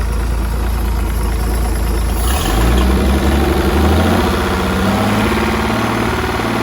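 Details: 1959 Graymarine 109 marine engine from a 1959 19' Lyman, after a complete overhaul, oil-pressure priming, timing set and carburetor adjusted: deep, steady rumble settling to an even idle after a brief speed change, no knocking; normal healthy idle.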